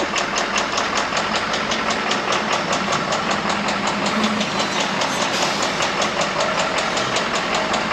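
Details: Ford truck idling before a full engine swap: quick, even ticking knock, a couple of beats per second over a steady idle; worn engine knocking.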